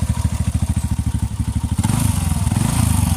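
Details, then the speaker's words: TVS Ntorq 125 scooter, just after start-up: rapid chuffing idle with a harsh gritty rattle; mechanic diagnosed a faulty starter one-way clutch inside. "देख रहे हो किरकिर की आवाज आ रही है इसमें। ये पहले मैंने किसी मैकेनिक को दिखाया था तो वो बोल रहा था कि इसमें ना वन वे की दिक्कत आ रही है इस जगह पे अंदर।"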